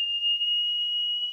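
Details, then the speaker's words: Aiwa AD-F500 cassette deck after transport repair, soldering and new belts: steady, clean 3000 Hz test tone with no wavering, tape speed adjusted up from about 2578 Hz to exactly 3000 Hz. Tape speed calibration test tone. "Alright, I've stopped that just because obviously you don't need to hear the noise, but this line is our 3000 hertz tone and it's dead on the nose now."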